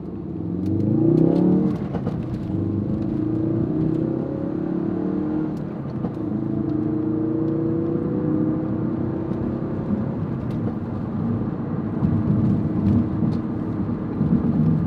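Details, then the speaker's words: Tuned Ford Focus RS (Cobb Accessport, Mountune intercooler, ETS intake and exhaust) under hard acceleration through the gears: faint hum rising in pitch with revs; owner finds the whine concerning, source not pinned down. "nna get on it a little bit right now, and hopefully you can hear that whine. Definitely hear it in person. I'm just not sure if it translates to video or not, but it's not that it's aggravating, it's just concerning,"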